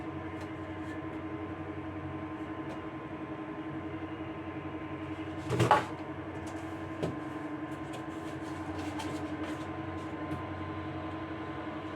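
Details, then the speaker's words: Dantherm HCV500 double-flow ventilation unit noisy already at speed 2: a steady droning hum with a pronounced tone; vibration can be felt by touch in one fan motor, whose worn bearing is to be replaced. "Donc au toucher, on sent la vibration dans ce moteur-là."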